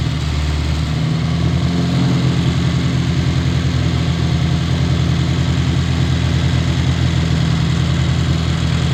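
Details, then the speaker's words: Old Austin Mini Cooper four-cylinder at fast idle right after first start with MSD ignition: a shaky, lumpy pulse. Rough and untuned, before the distributor and fuel adjustment. "When it first started, it was sounding like trash, bro."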